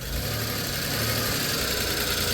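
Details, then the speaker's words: 1991 Dodge Grand Caravan 3.3 V6 after correcting swapped plug wires on cylinders 2 and 6, which had caused a backfire: it now idles steadily with no misfire stumble, running much better, with a faint light ticking underneath. "Oh, wow. It runs better. Oh, that's so much better. It's a little ticky."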